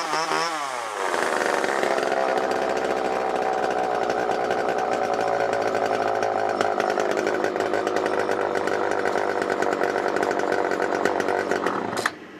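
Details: Old garbage-picked Homelite XL chainsaw, long stored: revs up hard and holds a high buzzing wail with slight waver; owner says the carb cleaned itself out as he kept cutting.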